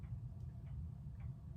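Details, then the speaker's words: 1987 SMC Laguna (KB36) ceiling fan coasting down after being switched off. A low hum with faint irregular ticks, and it stops quickly because the fan is light and the bearing is very bad. "Yeah, it stops pretty quick. Of course, it's pretty light, and the bearing is so bad."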